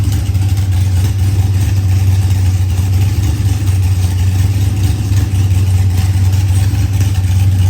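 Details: Procharged LS V8 with 12-1 crank trigger, running after start troubles were fixed; deep, steady idle with even low rumble, no misses or knocks; normal idle.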